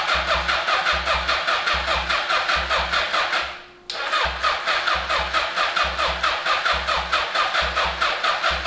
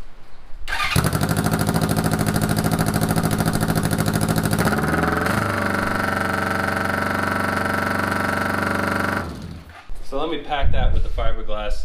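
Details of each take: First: 1981 Honda CB750 brought back from non-running, cranked via a jumper to the starter solenoid: steady, even starter chugging with no skips; good compression on each cylinder; normal cranking. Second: 1981 Honda CB750 cafe racer at idle: harsh, loud, rapid raspy exhaust bark from the muffler side without fiberglass packing, compared with the packed side, until shut off.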